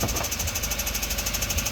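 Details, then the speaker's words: Audi just bought with a slight miss, at idle: steady quick even tapping that follows engine speed, from a worn belt tensioner pulley. "Yeah, look, it's just a tensioner pulley. Yeah, just a tensioner pulley."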